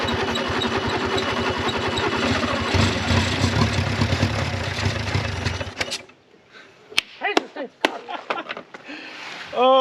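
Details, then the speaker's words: 1955 Renault 4CV, off the road since 1970, first run on a little two-stroke fuel after freeing the locked engine; uneven, stumbling firing surges and sags for about six seconds then dies, rough running that owner suspects is from a bad carburetor. "my goodness it needs a carburetor really really bad"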